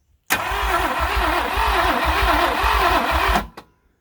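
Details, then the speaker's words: 1967 Thunderbird 428 V8 sitting about 30 years, one plug wire swapped; starter turns engine about three even beats a second for three seconds, sounding better but never catching; cranks but no start, ether planned next. "That sounded better. Yeah, good. It's a little encouraging. It's better. Come on, baby."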